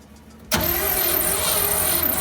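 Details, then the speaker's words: 1957 GMC 370 2-ton truck, original Pontiac 347 V8 freed after 20 years seized, 6625 miles: catches abruptly and runs loud and slightly uneven on fuel poured into carburetor, smoky from diesel and penetrating oil; owner unsure it's on all cylinders. "Yeah, I don't know if it's running on all cylinders or not, but she fired up. Kind of smoky."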